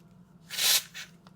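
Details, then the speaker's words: SCR MP5 CO2 magazine being pierced after adjustment: a sharp hiss bursts, then a fainter puff as gas escapes. The magazine is still leaking and wasting gas; the cause of the leak is not confirmed. "so as soon as it pierced it you'll start hearing the hiss and the hiss the longer that hisses for the more gas you waste"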